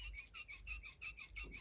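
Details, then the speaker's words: Citizen watch with Miyota 8210 movement: sharp, high chirping squeaks about five per second as the bracelet flexes, heard often while worn; loose bracelet links rubbing together. "yeah that's a lot of squeaking isn't it man you actually hear that squeaking when you're just wearing the watch not every time you move your wrist but quite often"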